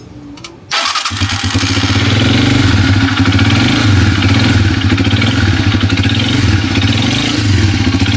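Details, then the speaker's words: Motoposh Pinoy125 motorcycle engine used for water delivery, noisy after only a tune-up: it fires into a loud idle with an uneven low knocking underneath, from a worn connecting rod; the engine will be opened up. "So mga idol, meron tayo ditong bibiyakin na makina kasi yung connecting rod niya maingay na."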